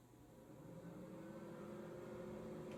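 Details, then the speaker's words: 2019 Thor ACE 30.2 RV microwave after repairing the ATS box, whose loose screws had burned and melted connections and cut 110 V power: steady even hum, low mains drone, soft fan whoosh, converter heard running; normal running. "Microwave is on. Looks like we are all set. I hear the converter going, so we are back in business."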